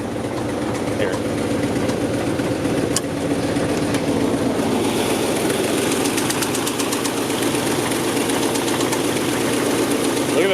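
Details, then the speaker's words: LS-swapped Nissan S14 V8 with AEM Infinity ECU on chassis dyno under load: deep, heavy knock pounding with each crank turn through the roar, first taken for a lifter tick; rod knock caused by oil passage blockage. "you've like a whips or take - it sounds like a lifter take really bad"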